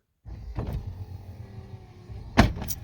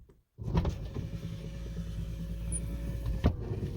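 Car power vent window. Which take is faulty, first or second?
first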